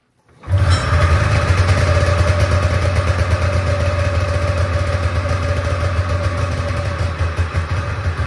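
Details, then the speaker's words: Polaris Trans Sport snowmobile two-stroke twin, next-day start after sitting 10 years: a deep, steady burbling idle with no misses; thermometer readings of 203 and 224 on the cylinders confirm both are firing, though the owner finds it too loud. "so it's running on both cylinders but apparently it's too loud"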